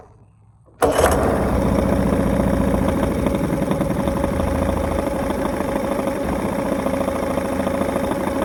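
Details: Bass boat outboard after carb refit, leaking fuel at the carburetor inlet hose, water pump possibly not working: it catches abruptly and settles into a busy, slightly uneven putter of about three to four beats a second; runs, but not cleanly.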